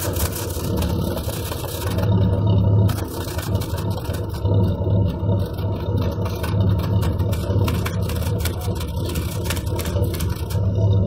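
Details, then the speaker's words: GMC Jimmy (same as Blazer/S-10) with 4.3 Vortec V6, owner reports strong vibration, high fuel use and fuel smell; heavy low rumble with uneven, lumpy beat and irregular stumbles at idle, rich running from fuel leaking under the intake; codes P0300, P0401, P1133. "pues ya escuchamos y pues ya vimos que en realidad se está metiendo un poco más de gas de lo normal"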